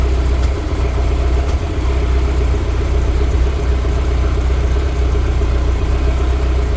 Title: e30 m3 s14 random misfire at idle.#bmwm3 #bmw #e30m3 #s14 #itb